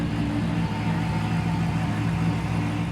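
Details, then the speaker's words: Retired Dodge Pursuit police car, AWD 5.7 L V8 with Hellcat supercharger, first running after install: smooth, even deep idle burble with no knocks or misses; running properly. "It's running good. I'm happy with it."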